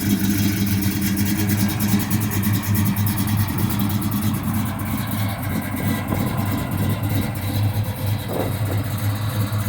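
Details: 1969 Chevelle with fully built 350 V8, Muncie M22 transmission, 12-bolt rear; deep, lumpy idle with an uneven, loping beat; cause not evident: rough idle.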